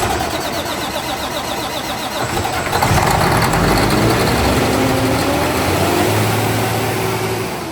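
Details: Freshly built Detroit diesel with PDI performance parts on first start: engine catches and immediately climbs in revs without easing back, held high until shut down; electronic runaway.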